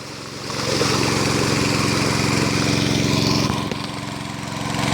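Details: Small water-pump engine running on LPG fed through a hole drilled at the air-filter intake, pumping with water filling the pipe: pulls steady and even under load, smooth firing, no misses or knocks; normal running.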